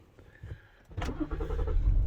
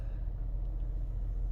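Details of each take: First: 2016 Ford Explorer 3.5L EcoBoost V6 right after a spark plug change, codes cleared: catches into an uneven, lumpy idle with a stumbling beat under a door chime; misfire from ignition coil number 2 left unplugged. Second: 2016 Ford Explorer 3.5L EcoBoost V6 after spark plug replacement, connector plugged back in and codes cleared: low, even rumble with no stumbles or surging, no longer jumping; check engine light still on afterward. Normal idle.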